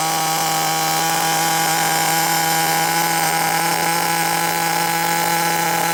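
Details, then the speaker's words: 16-year-old HPI RS4 3 Evo nitro RC car, first run after sitting, carb reset to factory settings, primed: high buzzing fast idle with slightly uneven edge, quite smoky and oily; running rich. "i did reset the carb settings back to factory beforehand so it was quite smoky quite oily"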